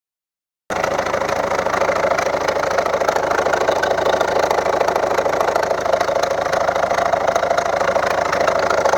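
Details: 2011 Volvo V70 1.6D (Ford TDCi/HDI diesel) at steady idle: sharp, even ticking knock about three per second over diesel clatter; second injector from right flooded with engine oil from a leaking copper washer, knock gone after replacing washer.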